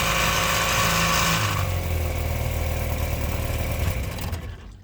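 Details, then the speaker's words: 1957/58 Mercury Mark 10 outboard that sat 45 years, choke on, started on the second pull. Catches and runs unevenly with a stumbling, popping beat, then dies. Sputtering idle; fuel mixture screw likely in too far. "Alright, so here it's sputtering there. So more than likely that fuel mixer screw is in a little too far."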